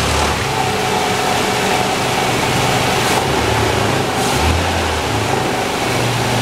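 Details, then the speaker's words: 2008 Toyota FJ Cruiser, 4.0 L V6, automatic, 4x4, about 152,000 miles, front-end damaged: engine runs steady and even under a constant roar, no knocks, ticks or misses; an excellent-running healthy motor. "you as you can hear this is an excellent running 152,000 mile motor"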